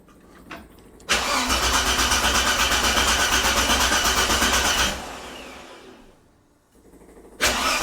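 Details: 45-year-old 2.8-litre Vauxhall Royale coupe, freshly swapped carburettor set only to baseline, choke cable not yet refitted: nearly four seconds of even cranking, about three pulses a second, never catches, then another attempt; hard starting, cause not confirmed.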